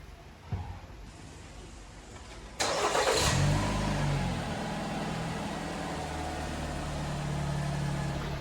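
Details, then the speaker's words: 2019 Jeep Compass starting after belt-drive noise repair with alternator refitted: starter cranks briefly, engine settles into smooth even idle with no squeal, chirp or bearing whine; strange belt noise fixed. "hora de bater partida e ver se o sistema vai funcionar perfeitamente Esperamos que não haja barulho algum agora"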